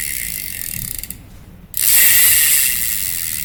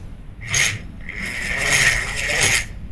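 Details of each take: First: Daiwa 1000X fishing reel, after repair of grinding noise (loose cross-wind block screw hitting gear): even mechanical whirring with light regular clicking as handle turns, no grinding; grinding gone, normal reel rotation. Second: Daiwa 1000X spinning fishing reel, Japanese-made, turned by hand at initial inspection: rough scraping grinds in bursts with each oscillation stroke, a strong noise of unknown source at first, traced to a loose cross-wind block screw catching the gear.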